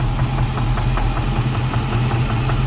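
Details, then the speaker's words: Knock at low idle on a 1988 Chevy Caprice 350 V8 with a 650 cfm Holley carb: rumble with a sharp regular knock about five per second, also felt through the valve cover; crank suspected, torque converter bolts checked fine. "turn it down get it all down just a little bit more [Music] you can hear that"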